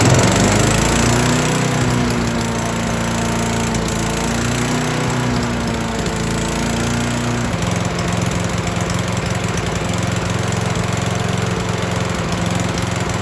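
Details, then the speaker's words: Troy-Bilt chipper/shredder that arrived not running, refuelled and started on choke in one pull: single-cylinder engine fires and settles into a steady, even drone, easing slightly in pitch; runs cleanly, normal start. "tell you what that is hard to beat right there. One pull. One pull did it."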